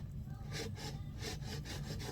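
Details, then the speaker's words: McCulloch 795 chainsaw with blown engine, crankshaft turned by hand: slow dry scraping strokes, about two a second, tough to turn; owner suspects external rub, crankshaft toast, piston possibly smacked and bore possibly damaged, cause unconfirmed. "Sounds like external rub on that."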